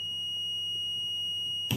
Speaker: it just alarms because I haven't plugged it in yet. It has a 9-volt battery inside it. A power cut occurs, this will scream, and the patient will notice that there is a power cut and they need to change to an oxygen bottle instead.